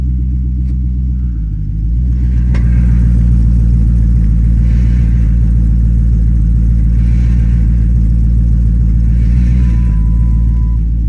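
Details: 2010 Dodge Charger starting after replacement of damaged heads: it cranks briefly, catches cleanly and settles into a steady, even idle with a deep rumble and no knocks or misses, sounding healthy.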